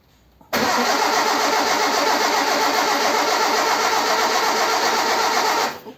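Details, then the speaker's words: Ford 100E with a stuck clutch and failed brakes, being started to warm up: engine catches at once and settles into a steady, even fast idle with no misses or knocks; starts and runs readily. "it starts and runs readily enough"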